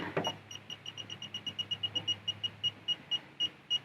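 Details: Automotive circuit tracer (6–42V DC) receiver probe following the tone generator's signal along a wire: crisp high-pitched beeps, about five a second then spacing out, with the signal lost where the wire is broken.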